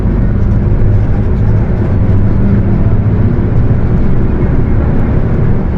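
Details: Mercedes-Benz OF 1721 bus, Torino S body (Viação Estrela 100.141), at cruise: deep steady drivetrain roar with a droning hum riding under it; the differential is roaring.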